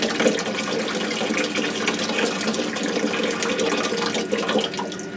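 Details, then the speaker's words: Rinnai tankless water heater after DIY service for loud blower and exhaust error code, reassembled and running with water on; smooth airy rush without straining motor whine, blower now quiet. "so as you can hear it's almost more of airf flow rather than motor kind of trying to power up"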